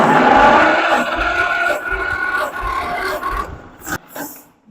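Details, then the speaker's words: Farmall M tractor, old engine, compression test on cylinder 1 while cranking: steady, even chuff about three or four beats a second; gauge reads 100 PSI, healthy for its age. "That's 100 PSI, guys. I'll take that, especially on an engine of this age. I don't feel bad about 100 PSI at all."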